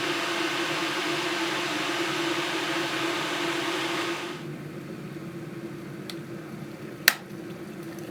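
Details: Electric kettle after DIY repair (contact pad and back cover refitted), test with a little water: rising hiss and rumble coming to the boil, steam from spout, then quieting and a sharp click as the switch trips off; normal operation.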